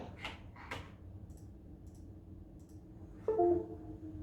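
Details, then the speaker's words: PC reboot: low room hum, then a bright multi-note device-connect chime about 3 s in as Corsair iCUE software starts. It happens on both computers even with all peripherals removed; cause unconfirmed. "it just made a noise as the Corsair program started"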